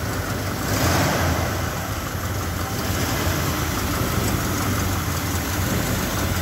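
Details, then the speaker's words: Original 1970 Ford F100 Sport Custom with factory 302 V8 and automatic, started up: steady deep even rumble, sounding almost new, with a faint raspy edge from an exhaust leak. "sounds almost like new, except for the exhaust leak."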